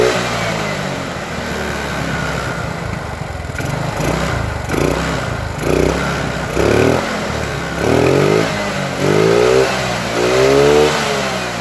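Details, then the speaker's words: Yamaha Mio with new carburetor and size 38 jet, after fixing sudden stalling: clean throttle blips about a second apart rising and falling smoothly, no stutter or misfire; normal revving. "Oke, motor ini kan sudah nyala. Jadi kalau kita urut gasnya itu agak berat ya, agak radu berat tapi gas full enak gak ada merebetnya."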